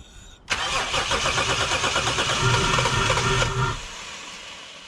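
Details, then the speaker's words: Lexus GS300, 2JZ-GE, crank-no-start, cranked with starting fluid sprayed into the disconnected brake booster line: fitful firing that never catches. Ignition is present, so no fuel delivery; the cause was a faulty ECU with leaky capacitors. "So as you heard there, the engine is trying to start. So that tells us that there is ignition, but in the next step we'll just confirm this."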